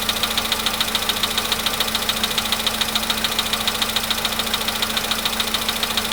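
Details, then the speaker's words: VW Polo sedan, nearly 100,000 km, idling with a crisp, very regular tapping about twice a second over a steady hum; engine knock at idle, absent on cold start, stops with throttle around 1500 rpm; cause not yet found. "Маленькая такая хитрость есть. Если даешь побольше газу, в каком-то месте можно, найти такое место, где он перестает долбить."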